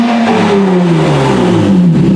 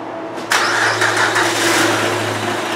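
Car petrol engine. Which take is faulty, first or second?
second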